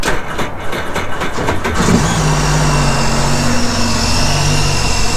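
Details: 2009 Sea-Doo Speedster 150 after intercooler, oil and filter replacement, starting for boil-out procedure: starter cranks under two seconds, engine catches and settles into steady even idle with no knocks or misses; healthy, no faults.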